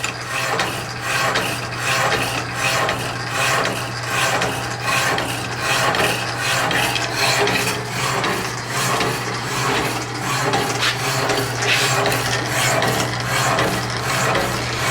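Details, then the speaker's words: Power hacksaw, lifting the blade on the backstroke: rhythmic rasping strokes about eighty a minute over steady motor hum; owner thinks the slide is in dire need of lube. "I think it's in dire need of some lube on that slide though, huh?"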